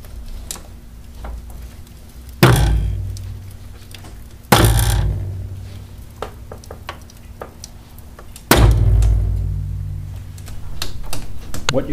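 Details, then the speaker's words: Clunk from a failed front strut upper bearing mount on the driver's side of a 2000 Chevy Venture minivan; three heavy, deep clunks with low ringing fade as the spring binds; left unrepaired, risking spring failure and steering problems. "The primary purpose of this video is to introduce you merely to the noise of a failed or failing upper bearing mount on a strut."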